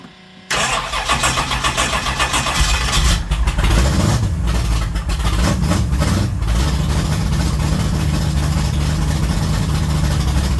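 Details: Pontiac GTO race car after replacing antifreeze with Evans Waterless Coolant, fired up to warm to temperature: quick crank, catches and settles into a deep lopey but steady idle with a few blips; starts and runs fine.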